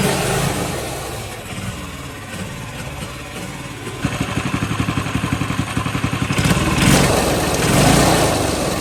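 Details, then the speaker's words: Polaris 110 kids snowmobile after repair; the problem was the throttle linkage, with the governor doing nothing (worn plastic gear or disconnected): engine picks up to a quick, even putter of about four pulses a second, running smoothly. "all right as you can see it's running uh way way better now um it was all an issue with the the throttle linkage"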